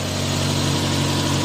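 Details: Mazda 3 that died on the road and only cranked, after finding chafed wiring that blew a fuse, wiring taped: smooth steady idle, even low hum, no misfire, ticking or wavering; fixed, idling normally.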